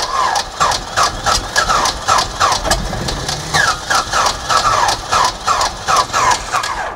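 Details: 1948 Beechcraft Bonanza V35 aircraft engine abandoned about 20 years, first start attempt: starter turns the engine in even chugs, about three a second, with a few weak catches that never pick up into running; cranks but does not start.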